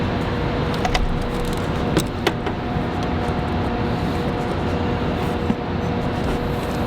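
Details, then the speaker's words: 2003 Lexus IS300 with the 2JZ-GE engine, after new spark plugs to cure a felt and heard misfire, sensors and throttle body refitted. Quiet, steady idle with no stumble or skipped beats and a few stray knocks around it. Normal idle. "presuming everything is okay and hopefully start the car that's why it was acting dumb but now Car Works totally fine no problems whatsoever"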